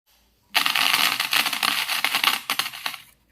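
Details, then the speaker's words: Homemade amplifier that would not produce audio, with the speaker wired directly to the board's speaker output: loud, irregular scratchy crackling bursts with no music. The badly rusted speaker socket is suspected as the cause. "So connect பண்ண உடனே கொரகொரப்பு sound வந்துச்சு. அப்போ நம்ம socket தான் பிரச்சனை."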